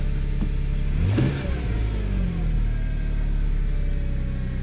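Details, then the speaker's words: 2001 Subaru Outback after serpentine belt, idler pulley and tensioner replacement, sat a while, smells rich: steady low drone holding a raised idle slow to settle down; high idle, cause not confirmed. "Try to get it to idle down. Almost there. Thinking about it."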